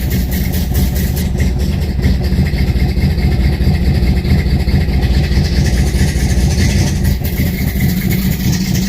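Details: 1968 Dodge Charger R/T V8 cold start at about 40 degrees after pumping the pedal three times: deep, steady idle with even low rumble, no knocks, misses or stumbles; normal cold start settling smoothly.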